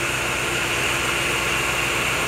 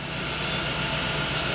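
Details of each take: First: Chevrolet Agile that arrived misfiring and shaking at idle despite new coil, plug wires and spark plugs, after timing belt adjustment checked with an oscilloscope; now a steady, even idle with no stumbles or misfire. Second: Chevrolet Agile with timing-belt marks checked by oscilloscope and found on time (mark 8–9), yet still misfiring: steady idle with a slightly ragged, uneven beat.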